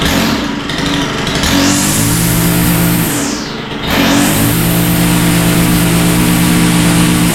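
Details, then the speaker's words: Stihl FS91R four-stroke line trimmer that started but wouldn't take throttle, after carburetor work: revs cleanly up and down twice, pitch climbing smoothly; runs well now, seems idling too rich, needs adjustment. "all right well it's sounding pretty good but uh I think it needs a little adjustment"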